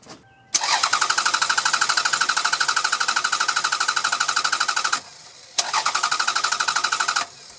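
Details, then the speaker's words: Car that suddenly stalled after idling about a minute in hot sun, fuel filter already changed, restart attempt about five minutes later: starter cranks steadily through two long tries but engine never fires; crank no-start, suspected failed fuel pump. "well okay doesn't want to run at all that's not good"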